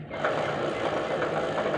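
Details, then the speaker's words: Chain noise on a Bajaj Platina 110: steady rough whirring rasp with faint rhythm while driving; lowering the rear suspension did not cure it, owner suspects the sprocket teeth sit offset to one side, misaligning the chain. "लेकिन यहां की sound है ही नहीं sound है इसकी जैन की और चैन की इसलिए आ रही है क्योंकि जो यह है ना टीथ इसका थोड़ा उस साइड है"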